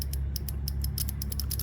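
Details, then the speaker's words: 2001 Suzuki TL1000R fuel injector, removed and bench-tested on a makeshift two-terminal harness to positive and negative: about a dozen sharp ticks in under two seconds, one per switching. It is firing electrically, but could still be clogged mechanically. "You just connect them to positive and negative, and you should hear a click."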